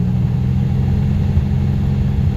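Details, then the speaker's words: Centurion with intermittent stumbling, owner suspects bad fuel, running from a small container with pressure from an aging little compressor: engine suddenly clears up, deep steady rumble with no stumble or miss, running mostly perfectly. "uh it just completely cleared up I don't know if y'all can hear that the engine just completely like cleared up it's running perfectly well mostly"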